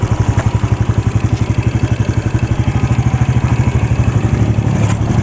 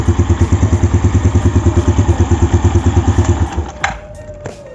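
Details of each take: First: Jupiter Z1 motorcycle engine, left side, before repair: a steady idle with a fast, light ticking of about four per second over the engine beat. The cause is a loose cam chain tensioner. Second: Yamaha Jupiter Z1 after fixing a loose cam chain tensioner that caused ticking on the engine's left side: even, steady idle at about three pulses a second with no ticking, then switched off.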